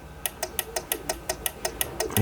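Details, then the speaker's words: PWM solar charge controller: at around 16.5 V input it cuts off power with a sharp, even clicking about six times a second; lower voltage, no clicking. "it cuts off power and it's making that noise. Lower voltage, no clicking sound. Higher voltage, clicking sound."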